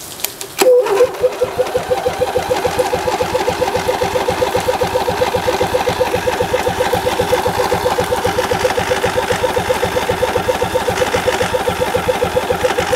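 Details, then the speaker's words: Rebuilt 2002 Briggs & Stratton Intek I/C 20 HP (407777-0167-E1) on test run: starter cranks steadily at a few beats a second but never fires; owner suspects the fuel shutoff solenoid, heard clicking, may not be letting fuel in. "Nobody's home. Start to draw on the left. Thus, maybe our shutoff solenoid is no good, which is possible. I do hear it clicking, but maybe it's not letting any fuel in."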